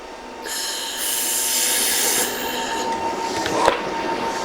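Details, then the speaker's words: Theo laser welder making a tack about an eighth of an inch from the joint end: a bright hissing buzz with a steady thin tone for about two seconds; the buzz is the wobble frequency, showing normal tack penetration. "So, that buzz is the herz. That buzz is that wobble. Okay. And you can actually hear that light hit the metal and start melting it."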